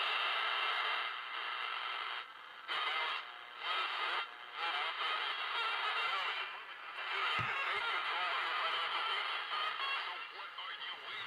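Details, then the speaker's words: Masterwork 10-transistor AM/FM portable radio bought at a flea market: audio is understandable at low volume but turns harsh, gritty and totally distorted when turned up, thin bass, fuzzy mids, cutouts; owner says it needs a recap. "so you can make it out when you turn the volume down turn it up it's just totally distorted so it needs a recap"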